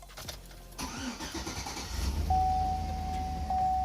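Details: Chevy Avalanche after a new battery install: brief cranking, catches quickly and settles into an even, steady idle with no misses or knocks; charging reads about 14 volts, healthy start.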